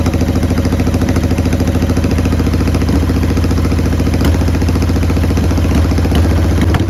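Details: 1990 Harley-Davidson Sportster 883 restoration project: loping idle dipping every second or two; runs rough; owner suspects intake leak, as one plug read lean and one rich.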